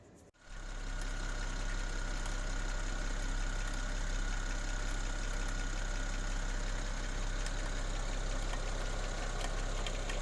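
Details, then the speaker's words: 2007 BMW 335i (E90, N54) at warm idle: a fast, uneven snap-crackle rattle in the engine bay, traced with a mechanic's stethoscope to a worn alternator clutch pulley; fixed by replacing the pulley. "Hey everyone, I've been chasing down a little snap, crackle, pop coming out from the engine bay when it's warm."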